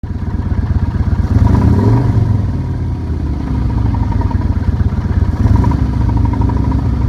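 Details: 2008 Nomad motorcycle idling: a deep, uneven knock rides on the low thump of the engine; the engine knock's cause is not pinned down.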